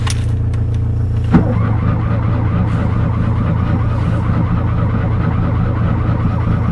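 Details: Fiat 126 cold-start attempt, unstarted since 18 October: steady low drone of engine turning over with no catch or firing; cranks but won't start, owner suspects spark plugs or ignition coil.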